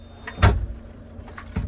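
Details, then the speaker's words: 2017 Chrysler Pacifica VMI Northstar wheelchair van with a Pride Jazzy 600 power chair: two solid clunks as the chair latches into the quick-lock, then no alarm, and the lock button lights, showing it is properly locked. "so once the chair is locked in the alarm is off and the lock button is now lit"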